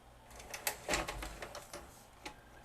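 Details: Magnavox ZV457MG9A VCR/DVD combo: loud scraping, irregular clicks and clunks from the loading mechanism, with or without tape, then stalling; back tension arm found bent, keeping tape from loading fully; bending it clear fixed loading. Finding: bent tension arm jamming tape load.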